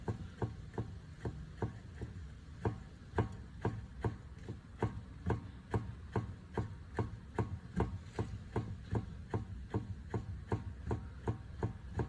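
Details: 2017 VW Polo steering rack levered with a pry bar and stick: sharp, dull clunks repeating about two and a half times a second; worn steering rack knocking.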